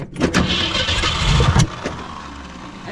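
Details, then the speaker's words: 1964 Ford Fairlane 500 with Ford 260 V8, first start after 29 years sitting: cranks, catches roughly with uneven chuffing, then one sharp bang; backfire through the carburettor from too much gas, an over-rich mixture. "did sound good she backfired yeah she back and that won't oh don't do thatat won't go down we had too much uh gas in it"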